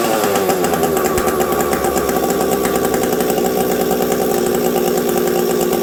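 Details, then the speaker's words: Husqvarna 372XP chainsaw with UFO aftermarket pipe, very cold weather: steady mid-pitch two-stroke buzz with a slight hitch in firing; low-speed jet set too lean causing stumble, not the pipe. "my low jet was a little low there you guys could hear that little stumble not not anything to do with pipe"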